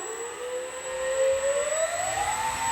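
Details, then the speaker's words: Dynam PT-17 RC plane electric motor, throttle run-up during radio setup: smooth whine climbing steadily in pitch with no roughness or stutter. The motor is strong and healthy, with a lot of power. "good. Yeah, it does. That's a lot of power. Yeah. Holy crap."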